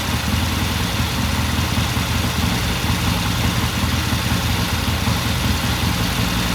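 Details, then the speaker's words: 1969 Triumph TR6 motorcycle twin after pilot jet cleaning, about 10 minutes warm-up after a cold start, pilot air screw turned in half a turn: steady, even low thump at fast idle, no misses, knocks or ticks; sounds good. "All right, so I guess at 10 minutes or so, and it sounds good."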